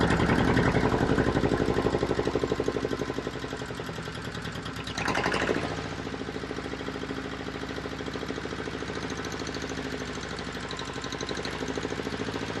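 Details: Volvo Penta 2002 diesel from a 1987 Liberty Yachts Pied Piper 28 sailboat, cold, after repair (shims corrected, fuel bled): even clatter about four pulses a second with brief throttle blip, settling smooth and steady; normal running.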